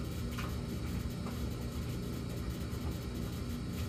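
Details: Samsung gas dryer with a fixed-pattern intermittent hum (high 14 s, low 38 s, then none for minutes): steady low droning rumble with a fainter higher hum over it while running; source of the hum unknown.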